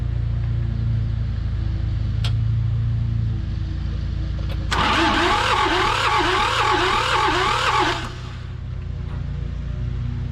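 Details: John Deere 650 subcompact tractor, two-cylinder Yanmar diesel, sat about 15 years: slow, uneven cranking at about three and a half turns a second with chuffing wheeze, fuel at both cylinders and some exhaust smoke but never catches; cause unconfirmed.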